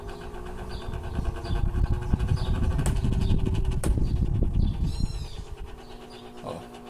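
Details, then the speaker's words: Old Arno fan, about 10 years in use, runs weak with a low uneven rattling rumble, overheating and stopping; noisy and lacking power at speeds 1 to 3, worn motor bushings. "então o cliente falou que ele tá fazendo barulho e tá esquentando muito e aí ele para não não roda mais"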